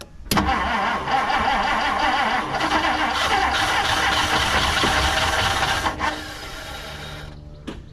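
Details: 1959 Plymouth Savoy after gas was poured into the carburetor, on a dying battery booster. It catches on a burst, runs ragged and uneven for several seconds, then dies. Oil checked fine.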